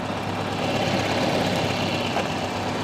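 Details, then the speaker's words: 1984 Volvo 240 parked since about 2012, old bad fuel, first start after plugging in the unplugged ignition: even idle rumble with a light steady patter, no heavy knock; engine runs cleanly. "that is crazy it freaking started wow that is unbelievable"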